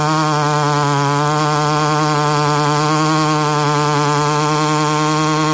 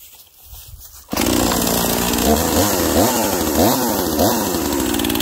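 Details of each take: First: Husqvarna 288XP clone chainsaw, oiler turned up fully yet still suspect, cutting at steady high revs with even buzzing drone; chain going dull because the oiler isn't doing its job, owner to try an OEM oiler. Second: Husqvarna 242XP small two-stroke chainsaw used for tight-quarters tree work: bursts to life and revs cleanly with crisp throttle swings, strong even RPM; runs healthy.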